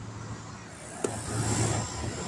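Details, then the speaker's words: Air conditioner compressor running from a small Alffa inverter powered by two recovered failed LiFePO4 batteries: steady low hum holding even after a switch click, no knocking or rattling. Running normally. "all right so she's running and now this little alpha this little alpha that's 175 80 bucks this little alpha is running that air conditioner"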